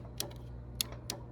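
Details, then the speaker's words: 2013 Mazda CX-5 with AC compressor not turning on: clutch coil fed directly with a Power Probe gives three sharp metallic clicks over low engine hum; the clutch engages, so the fault may be on the relay control side. "yeah you can hear that if you want to go over there okay so we know that the uh uh electric coil inside of there is uh creating a magnetic field and pulling the clutch engaging the clutch so we know that that's working"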